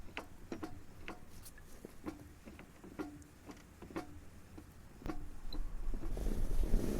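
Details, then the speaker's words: Front-wheel-drive car jacked up, drive rocked by hand: sharp metallic clacks about two a second from the gearbox; differential backlash, not the clutch disc, small play that will worsen. "я слышу стук и прямо с коробки это не диск сцепления я нескольких дисков сцепления меня были там пружины так себя не ведут и там на клацающий звук именно звук дифференциала это еще так сказать небольшой люфт но он быстро увеличится"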